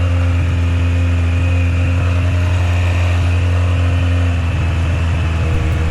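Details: XGR four-cylinder on its first ride with little fuel in the tank: a steady, smooth hum sitting noticeably faster than a relaxed idle. Idle set too high. It later restarted, seemed to run hot and possibly burned oil.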